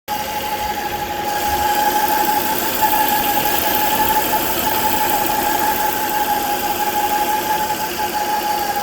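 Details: 2009 Volvo S40 2.4i B5244S7 at idle: steady high howl over rough idle, started suddenly, worst at idle, gone above 1500 rpm; about 4 inHg crankcase vacuum, oil cap hard to remove; owner suspects bad PCV oil trap, unconfirmed.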